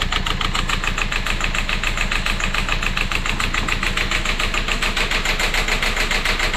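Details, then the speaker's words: Citroën C4 Grand Picasso Exclusive diesel running after 5 months sitting, started after two key turns and much priming-pump pumping; uneven lumpy clatter at idle that never settles, rough running; ticking from injectors or possibly a knocking rod; owner suspects rail pressure sensor or pressure regulator behind injection pump. "Bon il tourne pas très rond, on l'entend bien mais là il tourne."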